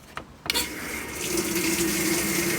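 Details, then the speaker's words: Hotpoint top-load washer in service diagnostic mode, spray rinse valve test: brief click then smooth steady hiss of water, no chatter or buzz; rinse valve working normally. "It does have one. We have the spray rinse valve."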